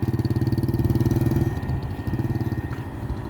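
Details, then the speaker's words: Honda scooter after repair of pulling-away jerking and stalling, caused by a broken clutch drive gear and a heavily worn clutch: after reassembly it idles with an even, steady putter, no slipping or stumbling, and runs normally. "เดี๋ยวจะมาลองสตาร์ทนะครับขี่ให้ดูนะครับเ้านี่ครับนี่ครับโอเคปกติแล้วนะครับ"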